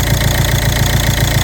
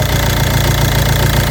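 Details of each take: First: Ford Mondeo 2.0 diesel, 136 hp, automatic dropping into limp mode: after unplugging the valve's electrical connector, even steady low idle knock with the quacking sound gone; valve membrane torn or filter clogged suspected. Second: Ford Mondeo 2.0 diesel 136 hp, automatic going into limp mode, jerking and stalling: idle with light throttle shows even low quacking pulse about 1.5 beats a second; quacking stops when connector unplugged from turbo control valve, identified as faulty.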